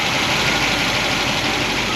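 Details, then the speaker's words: Solid roller lifter engine, warm (about 200°), valve covers on, after moving a pushrod guide plate down: smooth fast idle with no sharp ticking, valvetrain much quieter; slight mechanical noise remains, so other guide plates will be adjusted. "We're going to go through all the guide plates and move them back off the push rods because we still got just a little bit of mechanical noise."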